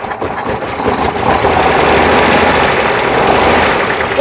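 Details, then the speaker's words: 1968 VW Type 3 with freshly installed 1835cc air-cooled engine, first start after install, not charging: catches quickly and settles into an even idle with a steady rumble, no knocks or misses while oil burns off; normal start and idle. "So, I'll try the other one. Still sounds good."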